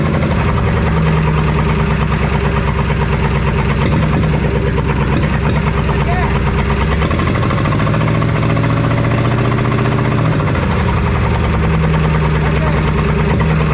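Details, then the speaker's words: 1966 Plymouth Fury III with swapped V8, 62K miles, first run fed from a temporary fuel supply, given a little gas: deep idle with uneven, lumpy beat and speed change midway; sounds like it's missing, cause unconfirmed. "Oh, give it a little gas. Thanks so much. It sounds like it's missing."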